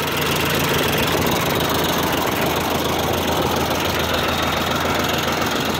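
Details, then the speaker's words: 1959 Ford 601 Series Workmaster tractor (631/641) at steady idle with a low, even beat, no misses, knocks or hunting; old engine runs smoothly and healthily. "but it runs uh runs pretty nice i'll start it up for you stacy runs like attack"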